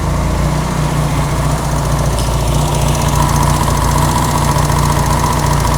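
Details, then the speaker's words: Honda CB200 twin with aftermarket carbs, after setting the slides with the handlebar cable adjuster: steady, fairly even idle with a deep throb and no misses or knocks. Normal running. "Okay, that actually sounds way better now."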